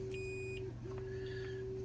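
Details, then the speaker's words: Continuity tester on a Millipede arcade board TTL chip (16-pin) during graphics-fault repair: short chirp then steady high beep between ground pins, confirming ground connected and traces intact. "This is ground. So pretty much anything else that has ground, this is ground here, right? So we're good. We're hearing a beep, and this is power."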